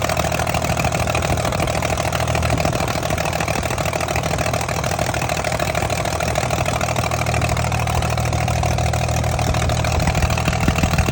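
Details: Heavy diesel engine at idle with a rough, uneven beat from misfiring cylinders; the cause is still being diagnosed.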